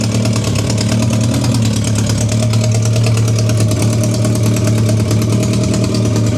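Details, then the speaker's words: BMW K100 after fuel pump replacement and a spark plug and ignition coil check, idling on choke: steady, even, slightly fast idle with a smooth throb and no misses. Owner suspects the injectors had been sticky; now running healthy. "pulled the choke out so the choke on on here and it was working hang on and he and even got even got some throttle as well so it's idling now on the"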